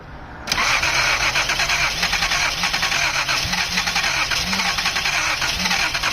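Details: 1979 Datsun 280ZX after fuel injector replacement: steady starter cranking with even compression beat, not one firing stroke; crank no start, too much fuel suspected, plugs fuel-soaked and replaced afterward.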